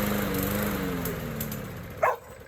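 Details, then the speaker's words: Gas lawn mower engine, small single-cylinder: starts, chugs briefly, beat slows and sags, then dies; likely fuel starved, carburetor to be cleaned. "i'm going to show you how to fix your lawnmower engine if it can start runs a little bit and then dies off just like this example"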